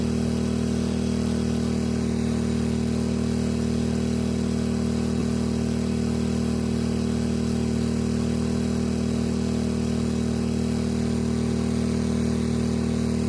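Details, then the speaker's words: EcoFlow Smart Generator dual fuel model converted to natural gas, under high load of about 1100 while the regulator is turned in: steady fast even drone that sags as the mixture leans and it starts dying; about 6 turns out is too lean, about 13 out runs correctly. "Okay, so there's about 1100, and what you would do is turn this in until it starts to die off a little bit."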